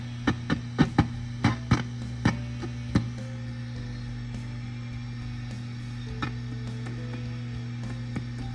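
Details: Warmed-up AC30 guitar amp: loud steady low hum, with each tap on the chassis ringing through as a sharp knock; microphonic, noisy tubes.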